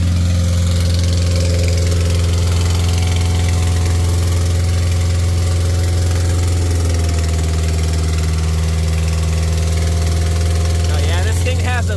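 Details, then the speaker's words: Acura Integra DA9 turbo project at startup: loud, fast idle with deep drone and slightly uneven pulses, smoking; high idle, owner suspects ripped throttle body gasket. "There we go. Still idling kind of high."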